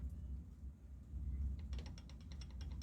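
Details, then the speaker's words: CG 125–250cc pushrod motorcycle engine with a new timing kit and crankshaft, turned slowly by hand: sharp light clicks as the gear teeth rattle; noise persisted after changing the rocker arms and adjusting the valves; timing gear backlash. "look there the game between the teeth , well, that's noise , we changed it, we changed the rocker arms, we adjusted the valves, it continues to make noise"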